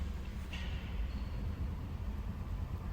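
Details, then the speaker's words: 2008 Toyota Corolla, 284,000 km, hard starting, no power on acceleration: low, uneven idle rumble with heavy vibration that pulses and stumbles, misfire from clogged fuel injectors; fixed by removing and cleaning injectors. "अब यह देखिए जो गाड़ी start हुई है लेकिन इन जवा vibration कर रहा है"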